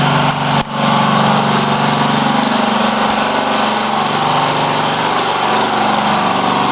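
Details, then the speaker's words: Homemade little tractor back running after a burnt-out transmission and slipping rear sprocket, smaller pulley fitted: small single-cylinder holds a steady, even generator-like drone, no knocks or misses; normal running. "hear that menacing noise outside sounds like a generator not that menacing but anyway that's an old machine of mine"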